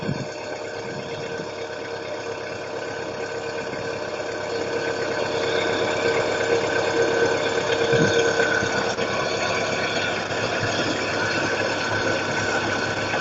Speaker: сейчас начинает подстукивать потихоньку пока.